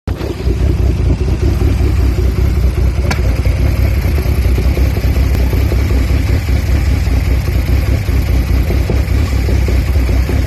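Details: Audi A4 B7 3.2 cold rough idle that keeps coming back when cold: deep idle rumble pulsing and wavering unevenly instead of holding steady, cause not identified.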